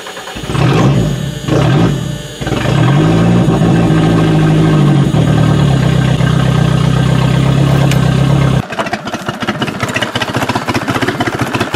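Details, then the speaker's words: Used Toyota being readied for demolition derby, dies when throttle released; catches and stumbles into uneven, lumpy loping idle, sounds like missing on a cylinder, cause unconfirmed; rough running. "Ooh, this does not sound pretty. It sounds like it's missing on a cylinder. But it runs."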